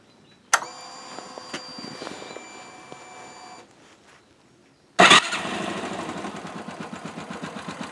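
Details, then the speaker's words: Yamaha YBR125 fitted with a 150 cylinder kit, just after refitting the head and timing chain: after a rough start, a light regular ticking rides over the single's idle beat. Top-end ticking, cause unknown. "Non, bah, le problème c'est qu'on entend un bruit de cliquetis au moteur."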